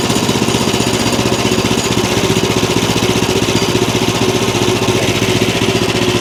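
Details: Small single-cylinder engine on a bandsaw wood mill, bought as a non-runner, fast-idling with a steady, even chug after carb bowl refill, choke and ignition on; holds speed without stumbling, normal idle.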